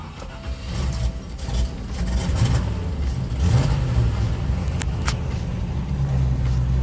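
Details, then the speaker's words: Land Rover Discovery 1 with 240k miles, first start after sitting 8 years in a barn following a mini tune-up; engine fires and surges unevenly, rumble rising and sagging before steadying; rough running after long storage. "wasn't too happy but it did start up so that's cool the blower works lights work"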